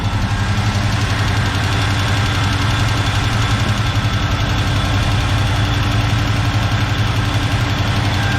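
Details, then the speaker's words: 1970 Chevrolet K10 with 396 big block from a 1971 Chevelle, first start after sitting, bad gas still in line: deep lumpy idle with quick tick three or four a second, good oil pressure; exhaust leak or lifter suspected. "we got good oil pressure i can't tell if that ticking noise is an exhaust leak or about liquor"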